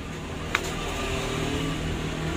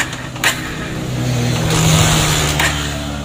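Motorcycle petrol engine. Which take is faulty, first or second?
second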